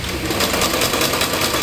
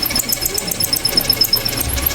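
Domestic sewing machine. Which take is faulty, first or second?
second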